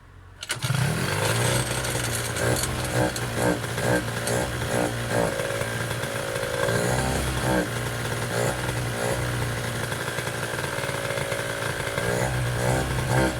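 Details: Piaggio Zip SP race scooter two-stroke on first start after restoration: catches right away and buzzes along, blipping up and down in rpm with clean pickup and no misfire or rattle.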